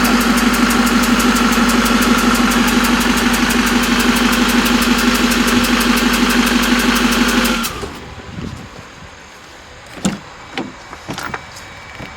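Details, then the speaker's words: 6.6 Duramax diesel (believed 2006 LBZ) in a Jeep Wrangler build, first running: rough idle with loud sharp ticking about three a second, then shutdown; a newly installed injector blew out of its seat, not sealed in right. "Just blew that injector out. It blew an injector out? Yeah, watch. They didn't get the new one sealed in right."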